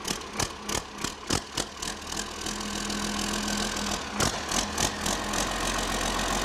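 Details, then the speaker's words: Reassembled 8.3 Cummins (previously threw a rod) for a Case IH 2366 combine, first start bolted to engine stands: several cranking puffs, then it catches and settles into an even diesel idle. It is firing on all cylinders. "all right oppressor make starts firing on all cylinders that sounds pretty good it's firing on all cylinders yep"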